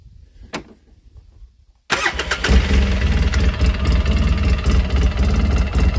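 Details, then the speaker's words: Polaris Sportsman 800 twin EFI, owned 12 years, stiffer front variator spring fitted; started in neutral. Short crank, then the twin catches quickly and settles into a steady, even low idle with no misses; normal start. "So if I start it up, and if it's in neutral, you can start it here, but if it's in gear like L, you have to press the brake to get it started."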